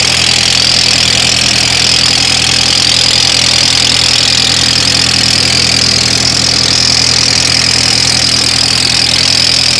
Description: My 2003 Audi A4 Quattro 1.8T making a weird noise when starting. It goes away at about the 47 sec. mark. I have no idea what it could be.